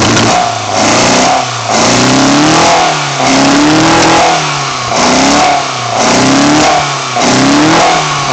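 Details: BMW 318i M10 engine on first startup after fitting sidedraft individual throttle bodies: it revs up and settles in repeated bursts with a crisp, clean note and no misfire or knock, so it is revving healthily.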